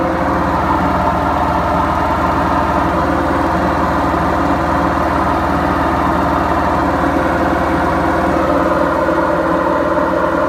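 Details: BEKO washing machine, 7 years 8 months old, during spin: steady, heavy roar with low rumble throughout from worn drum bearings.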